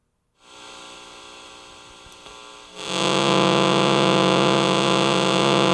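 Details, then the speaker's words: Switch-mode charger for a cell phone or tablet: steady harsh buzzing hum that jumps louder partway through; after unplugging, its capacitor keeps it running and making noise for quite a while before stopping. "let's see how long this thing makes noise just sitting here wow and there it is it stopped so there you have it that's what the capacitor is doing in there"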